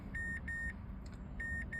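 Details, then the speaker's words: 2012 Mazdaspeed 3 with heavy DIY spliced wiring, crank no start, ignition on: four evenly spaced high beeps in two quick pairs over low cabin hum, the no-key-recognized warning with immobilizer in theft mode. "a no key recognized warning."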